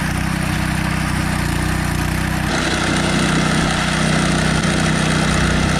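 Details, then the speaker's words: One-man post hole auger driven by a lawn-mower-type engine, labouring steadily while digging. A dull, irregular rattle rides over the engine as the auger chatters on rock in the hole. "okay there you can hear it kind of rattling there's rock in there and we'll find out after we go a little bit more that Rocky's a big rock"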